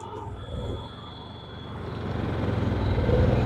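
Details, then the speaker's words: Yamaha EF6300iSE carbureted generator beside a Honda EU7000iS (389 cc GX390 EFI) running 1000 W load on only 32 oz of fuel; at 45 minutes both surge, drone swelling and sagging unevenly as they run out of fuel; Yamaha shuts off at 46:45. "the Yamaha is surging at 45 minutes guys something's happening still putting out power they're both surging they're both surging"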